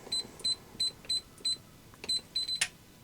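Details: Winchester TS20-30 safe keypad, after a power switch was added to stop the battery drain: crisp high beeps, one per key press about every third of a second, then a sharp lock-release click; normal keypad entry.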